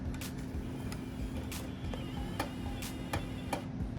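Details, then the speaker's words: Xbox after a hard drive and controller board swap: irregular sharp ticks over a faint steady motor hum as a GTA 5 disc is inserted; the drive struggles to read it. "that sounded weird is it gonna load anything well it's not looking good"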